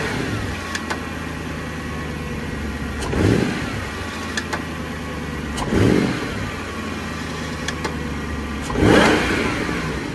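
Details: Jaguar XKR X150 engine on cold start after sitting a couple of days: light, irregular tick-tock over idle, gone once warm and absent on warm starts; owner wonders if belt jump, cause unconfirmed, going to dealer for diagnosis.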